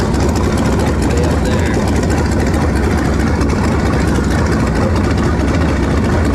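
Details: Engine after swapping to a 2-barrel carburetor, vacuum port patched and taped, choke nearly open while warming: loud, steady low idle rumble with a slightly uneven beat. Runs much better but fuel mixture still sounds off; slight smoke noted.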